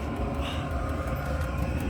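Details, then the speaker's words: 3 kW Chinese diesel air heater in a 23-foot caravan, recorded from underneath the van at the exhaust with straight-through muffler, about 61 dB; steady low rumble with soft airy hiss, no pulsing or popping; normal running exhaust. "So you can hear now, this is the noise we're getting, which is from the exhaust from the straight through muffler, which is approximately 61 decibels, and it is the quietest rather than a buffle type, if that's it."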